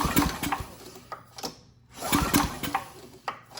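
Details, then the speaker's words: Craftsman 2500 W generator (model 580.327120) with Tecumseh OHV OHH60-71116C engine, formerly about 30 psi compression, recoil pulls during a compression test now reading 60 psi: firm even thumps; normal cranking compression. "Yeah, and it looks like we stopped at 60. So, that's where we should be. The engine feels a lot better when pulling it over."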